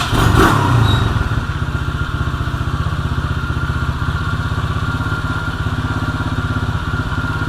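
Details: 2016 Tao Tao 110cc pit bike after a top-end rebuild and timing set: the small single settles into a quick, steady putter of about four beats a second after startup, even and healthy.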